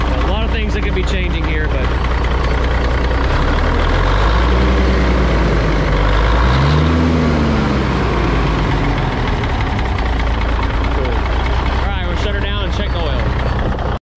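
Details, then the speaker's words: Old cabover diesel truck, sitting for years, started in neutral after its 20-year-old oil was changed, the fuel filter primed and clean diesel added: starts smoothly and holds a deep, steady idle with even beats and no misses or surging. "started up really smooth well I guess me priming our fuel filter up help um it's probably running through there cuz I put nice clean diesel in it too"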